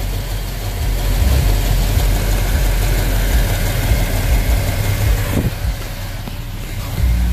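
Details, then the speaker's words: 350 V8 truck after all valves were adjusted (quarter turn): a steady, even low idle rumble with no tapping or ticking; sounds smooth and healthy. "now we had adjusted all our valves and it sound like we got a quiet running 350 all no tapping no more"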